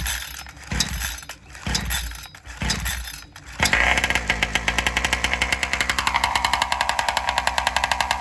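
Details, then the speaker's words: Two-stroke chainsaw running on alcohol fuel, in a test cut: it runs raspy in uneven bursts, then the pitch sags as load builds and it bogs. The owner suspects it runs lean and is starving for fuel on the high-speed circuit; not confirmed. "And I have a feeling the saw is running lean as it goes in the cut, like it's starving for fuel."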